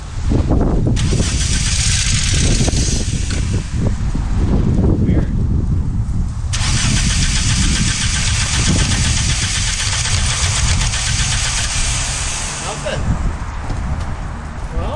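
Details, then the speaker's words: VW Mk3 with 2.0 L ABA engine and 5-speed manual, non-runner under repair: starter whirs, the engine catches for about a second and then dies; starts and stalls, cause unclear. "well we made some progress but there's still something going on it tried it tried tried and failed"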